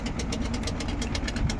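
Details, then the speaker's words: Samsung WindFree 12,000 BTU air conditioner, two days after installation: fast uneven buzzing rattle over a low hum, worst at low speed at night; loose or poorly fitted mounting screws suspected, stops when held. "Ele começa a tremer quando tá embaixo a rotação de noite uma zoada arretada."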